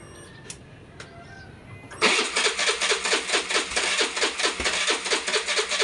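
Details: Suzuki Burgman 125 scooter that had a no-start problem, after the injector and a spring were refitted. Quiet for two seconds, then it catches and settles into an even, quick idle with a steady pulse; it starts and runs fine.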